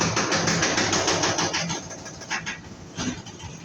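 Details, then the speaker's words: Brand-new, just-installed washing machine loaded and spinning in the centrifuge: fast, rough thumping rattle, about three knocks a second, shaking like an earthquake. The cause is an installation (mounting) error. "ahora vamos a ver porque lavadora nueva acaba de instalar hace este tipo de cosas tal como un terremoto"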